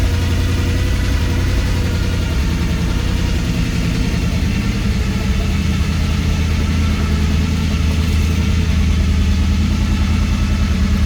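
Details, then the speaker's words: Small-block Chevy V8, believed from a 1976-77 Chevelle or Laguna, with recent battery trouble, just cold-started out of gear: low, even burble holding a constant idle without misses or stumbles. Normal idle. "Okay, so that's two small block Chevys with that Edelbrock carburetor on them. I didn't do anything. I turned the key. They just run so good."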